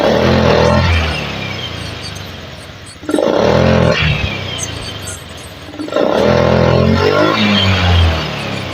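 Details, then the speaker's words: Honda Scoopy eSP scooter that stuttered and lacked climbing power, after component replacement and reset; three crisp throttle blips falling back to steady idle without stumbling; now more responsive: normal revving. "Oke, tarikan lebih enteng nih mas, tarikan kayaknya lebih responsif ya."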